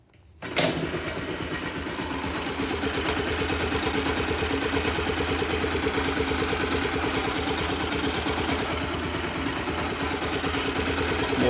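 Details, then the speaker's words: 2009 Yamaha YBR/Factor 125 after engine noise repair: starts and settles into an even single-cylinder idle, steady beat, previous tec-tec ticking gone; quiet, normal idle. "silencioso vocês puderam ver acabou aquele tec tec tec embora de boleta"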